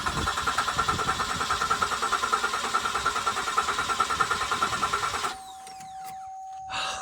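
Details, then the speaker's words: Flood-damaged 2007 Cadillac CTS, about 50,000 miles, after starter replacement: strong even cranking about three pulses a second for five seconds without firing; nice healthy crank, normal. "She's a cranker. I love it. It sounds great. Nice, healthy crank."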